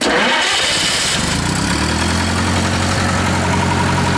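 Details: Reinco TM730 straw blower, 4-cylinder gas engine, freshly serviced, oil changed, tuned up, new battery: starter cranks briefly, then catches and settles into a steady, even idle with a firm low hum; starts clean and runs healthy.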